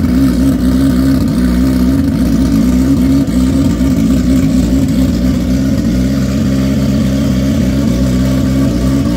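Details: Freshly built, barely broken-in bike race engine, running on methanol with starter map, no fan set up: loud, lumpy race-engine idle with steady firing beat and a few light blips; warming up cleanly.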